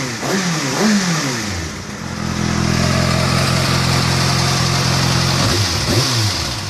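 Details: Kawasaki ZX-6R four-cylinder, fully warmed up, idling and blipped with a light, fast ticking that follows the revs; the source is not yet identified.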